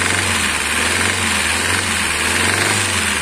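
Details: Kia Picanto petrol engine revved, with a light, busy metallic clatter from the top end; a bolt found fallen inside under the cover, and the camshaft and its seat are worn.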